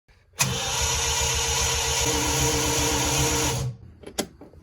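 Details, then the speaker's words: 1975 Triumph TR6: starter spins the engine quickly and lightly with an even whir and no compression chugs, because the cam timing was set wrong; the camshaft was later degreed and retimed. "Why is it cranking as if there's no compression? Something is wrong."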